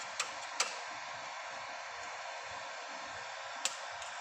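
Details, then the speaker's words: Dead Lakoni Basic 123ix welder after jumpering three pins. Quiet, even fan hiss with a few sharp relay clicks over it. Cooling fan now runs normally. "Oke, terdengar ya teman-teman, kipasnya sudah berputar, relaynya pun sudah bunyi klik seperti itu ya. Ini ya teman-teman, kipasnya sudah nyala. Kipasnya sudah nyala."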